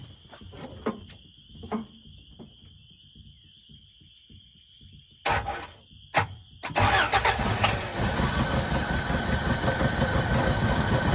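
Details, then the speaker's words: 1981 Toyota 4x4 pickup, sitting since 2008, fuel pump and fuel supply unverified, run on starting fluid: sputtering coughs and stalls, then a rough rising run that won't smooth out. Flooded engine. "Oh, flooded it. Call that a win."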